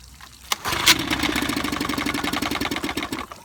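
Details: 1955 Evinrude 7.5 hp fleet twin outboard being restored with new coils, a replacement carburetor, a single-line fuel conversion and spark plug wires swapped for firing order: fast, uneven pops for about three seconds, then it dies; it sputters but won't stay running long enough to adjust the needle.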